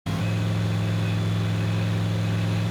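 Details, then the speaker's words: 1985 IROC Camaro 305 V8 just rebuilt, first start after distributor install: catches instantly into a deep even idle with steady burble, no misfire, knock, backfire or coolant leak; normal idle before 20-minute break-in. "as expected it turned over without hesitation and immediately fired up no antifreeze shooting out no backfiring"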